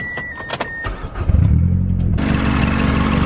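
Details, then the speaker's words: Mazdaspeed6 with a newly installed front mount intercooler, left idling under the open hood after a drive: starter catches, then a steady, even idle with smooth low rumble and no knocks or whistles. Normal idle. "everything looks good that I can see cool everything sounds good normal"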